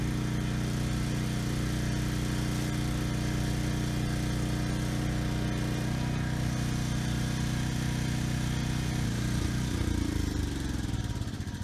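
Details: Briggs & Stratton Storm Responder generator after cleaning clogged main jet from old gas, started first pull: steady, even engine drone with no hunting or surging, good speed; runs normally after repair.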